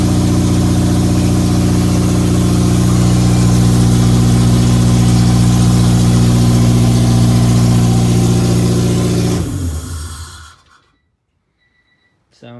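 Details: Honda K24A2 engine swap with K20A2 Type S transmission, first start after reassembly: smooth even idle, steady low hum, no knocks or ticks before shut-off; healthy.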